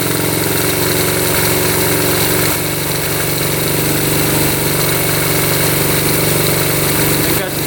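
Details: 1972 Honda CT70 single, bought at auction with a bogging problem, settles into a steady even idle with clean firing, no misses or knocks, after the timing was set with a timing light: normal idle.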